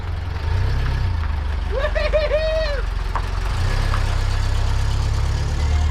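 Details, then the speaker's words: Bus with rebuilt 1.7 flat engine, new starter fitted, first drive: steady low even rumble with no knocks or rattles, short chirp on top; running good, still needs tuning. "Yeah. Rebuilt the motor. It's running good. Sounds good."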